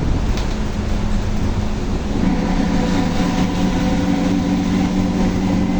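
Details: Volkswagen Torino S 17-230 OD Euro V, driving: a steady low hum joins the road rumble partway through and holds an even pitch; loud howling differential.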